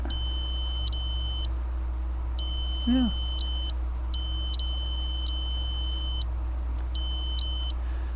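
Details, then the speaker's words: Datsun 280Z ignition switch, removed and tested on the S and B (starter/battery) terminals with a continuity beeper; the steady beep breaks in short gaps as the key turns, showing intermittent contact. Owner was chasing intermittent no-crank and ECU resets when releasing the key. "now that's back to what should be the Run position makes contact a little bit of a loss there but you know other than that little Gap seems to sound pretty good"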